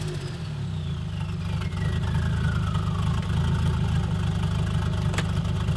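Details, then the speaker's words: 1976 Volvo 240 with naturally aspirated B23E engine after DIY turbo conversion, test drive: revs climb then engine stumbles and runs rough, breaking up early around 3,000 rpm, also before the turbo; owner suspects conservative ignition timing. "uh so it's breaking up really early like on like three grand mark and it did that before too before the turbo i would say"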